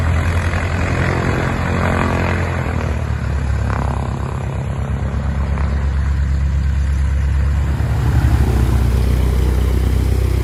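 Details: 1969 Cessna 177A Cardinal, first engine start after a 16-year restoration; deep steady propeller drone with even firing that swells a little near the end; normal idle.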